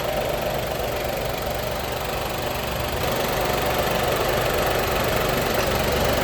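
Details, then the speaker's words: Nissan Magnite that would not start after being in water, now starting after a faulty airbag module was replaced with a new HDM and the fault cleared. A steady, even idle hum under hiss, with no knocks or misses. Normal idle. "तो guys बिल्कुल perfectly यहां पे गाड़ी start हो चुकी है जो कि पहले गाड़ी स्टार्ट नहीं हो पा रही थी।"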